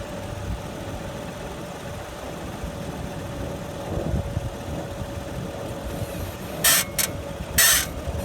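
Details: 2011 BMW 535i at standstill, steering wheel turned: short sharp high squeaks in pairs from the right (passenger) front; owner suspects the lower control arm, to be replaced.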